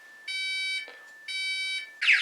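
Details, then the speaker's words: Texecom Premier Elite panel in full alarm after the entry time ran out, the same state as an intruder activation: loud high-pitched keypad beeps about half a second long with short gaps, then harsher warbling. "In the event that your entry time runs out, the alarm system will go into alarm."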